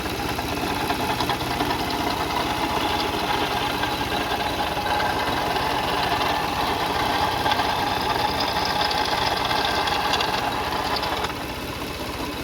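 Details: Car engine at idle, no leaks seen on the cover; fast, rough ticking knock riding on top, steady at idle; worn water pump bearing, timing belt kit and pulleys being checked.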